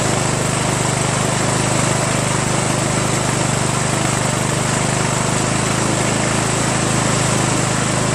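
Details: 1996 Craftsman LT1000 42 hydro lawn tractor, first run after new reproduction Nikki carburetor and starter, fuel mixture not yet adjusted: single-cylinder engine holds smooth, even steady speed with no misses or surging; runs really well.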